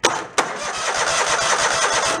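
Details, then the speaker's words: Mid-90s Toro Wheel Horse riding mower, won't crank from the key, cranked with plug pulled and grounded: engine churns over in even pulses but never fires; no spark, likely ground kill wire or interlock fault. "All right, so no spark. And it doesn't want to crank with the key."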